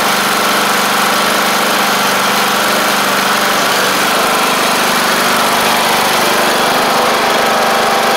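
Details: MTD Craftsman LT1500 riding mower after engine swap: steady single-cylinder drone at constant speed, even and unbroken, no misses or surging; engine running normally.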